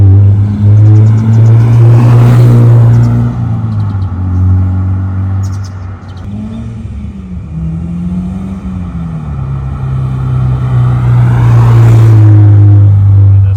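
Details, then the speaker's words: Honda S2000 CR, about 533 miles, sat about 10 years, driven at temperature: deep heavy drone that swells and eases with revs from aftermarket exhaust; header rattles, heat shield cut; later replaced with low-mileage header and exhaust. "It's got a really bad drone to it. Of course, the header rattles, the heat shield's all cut."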